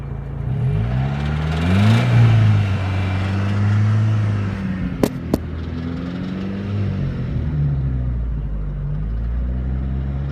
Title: Стук гидрокомпенсаторов